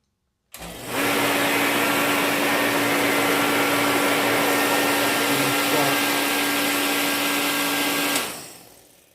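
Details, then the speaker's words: Reddy Heater Pro 150 forced-air heater, previously nozzle cleaned and fuel lines changed, ran once then failed to restart: blower rushes steadily, spark present but no combustion; nothing coming from the fuel line, fuel filter being replaced as suspected cause. "Okay, that spark, no ignition. Not getting fuel. It's not getting fuel. Okay, nothing is coming out from the fuel, so let me check that fuel line."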